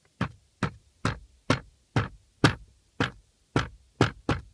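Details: Lada Priora glovebox, before its worn bushings are wrapped with electrical tape: sharp, hollow plastic clacks about twice a second with silence between, from the right side of the cabin. The glovebox knocks on loose bushings, mimicking a suspension noise.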